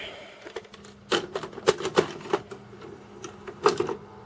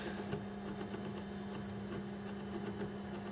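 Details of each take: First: Tape loading into a VCR from an A/V equipment haul brings irregular bursts of sharp clicks and clatters, and the loading mechanism sounds like it is struggling. A meter reading was odd beforehand. Mechanism fault, cause not confirmed. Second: Faint steady low hum with a slight mechanical whine and light ticking from a VCR's tape transport playing a Dolby B tape apparently from 1988. This VCR was apparently last used in the late 1980s. Normal mechanism whine, and the tape came out fine.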